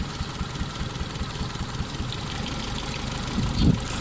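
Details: Four-cylinder engine idling lumpy with irregular low thumps as high-tension plug wires are pulled one at a time to cut spark and find the misfiring cylinder.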